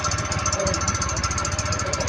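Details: Carbureted Honda Click 110 scooter at idle: a fast, steady metallic scraping hiss pulsing with each turn, still present after kick-start gear checks; the clutch bell's cooling fins are rubbing the crankcase cover.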